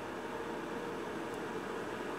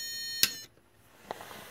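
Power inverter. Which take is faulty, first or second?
second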